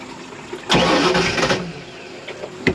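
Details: 1986 Shamrock 20 boat, Ford 302 V8 not started in 3 years: about a second of starter churning with no catch, then quiet; not firing because the carb is starved of fuel.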